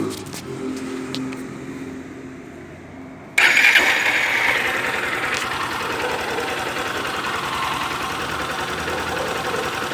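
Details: Honda CG Start 160 motorcycle: engine fires after a few seconds and idles with a light, fairly regular ticking clatter on top; owner asks if this engine noise is normal, cause unclear.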